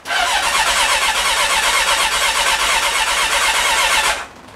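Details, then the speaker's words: Honda CB1300 after full rebuild, first start attempt, clutch in: starter spins engine steadily about four seconds without firing; fuel pump priming not heard, fuel smelled; owner fears fuel pump failure. "Right, so the first thing we can say is the starter motor is working. In fact, electrically, everything seems to be working. We'll Okay, nothing's happening."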